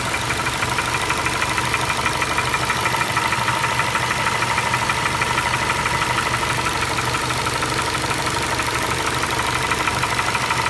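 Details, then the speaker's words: 2012 Ford Escape 2.5L, fully warmed up and idling: steady, sharp tapping about three knocks a second, heard near cylinders two and three, sounding like the cylinder head but caused by a cracked cylinder block. "now like I said this kind of failure is not that common but it is something to be aware of if you're out shopping for a used car whether it be private party or the dealership you need to listen to it and make sure it doesn't have this kind of fault from the GetGo"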